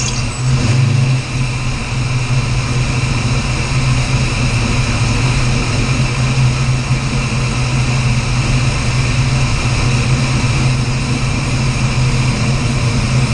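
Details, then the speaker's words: 408 Clevor V8 running while the initial ignition timing is being set with a timing light: steady even burble, smooth low rumble, no knocks, misses or ticks; sounds good, normal running. "[Music] oh man better long time coming sounds good whoo she's old tap good sounds good"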